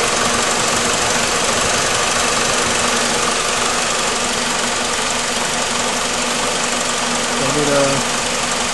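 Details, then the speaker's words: 2004 PT Cruiser being diagnosed for overheating, idling about 10 minutes at normal operating temperature: steady air rush over idle, no rattle or grinding; cooling fan operating normally. "It's been running for about 10 minutes now. And cooling fan is operating. You can kind of hear it."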